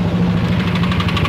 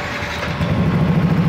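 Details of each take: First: Yamaha NMAX scooter, complaint of knocking at idle: rapid, sharp metallic tick, roughly ten a second, over a rough idle; piston slap from worn piston and bore, piston and bore need replacing. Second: Yamaha NMAX scooter at 58,238 km, after replacing the worn piston and cylinder bore that caused ticking at idle. It now idles smoothly and steadily with an even low thrum and no ticking; sounds normal.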